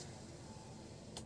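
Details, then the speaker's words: 2004 Toyota Avanza 1.3 G manual, power windows tested at the left front and rear doors: a low, even motor whir with no grinding or clicks. The windows operate normally. "Untuk power window, oh iya power window sekalian ya. Ini bagian kiri normal, bagian kiri depan ya. Untuk bagian belakang normal."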